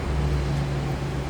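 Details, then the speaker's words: 1990 Cadillac Brougham, 5-liter V8, automatic with overdrive, 55,991 miles, just after a cold start: smooth, even low rumble at a slightly raised idle with no knocks or misses, sounds as expected; normal cold fast idle. "Let's listen though. I guess sounds like you'd expect."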